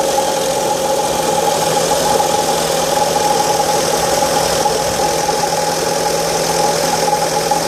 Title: Strange engine noise during cold start (1.8 Fiat Stilo Petrol)